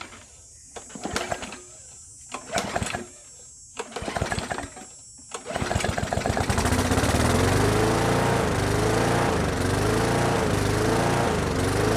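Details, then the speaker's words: Brute mower with Briggs and Stratton Classic engine surging: after failed pulls it catches and revs hunt up and down about once a second; choking the intake didn't help; cause was a missing governor spring, not the carburetor. "Alright, so the engine's running now, but it seems to have a bit of a surging problem."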